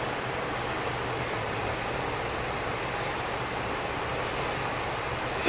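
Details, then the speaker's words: Kitchen heat pump outside unit, compressor failing to start and tripping overload: only the condenser fan runs, drawing 1.2 A, a steady even rush of air with no compressor hum; condenser fan running, compressor off. "this is an amp meter right now we just have the fan motor operating which is drawing 1.2"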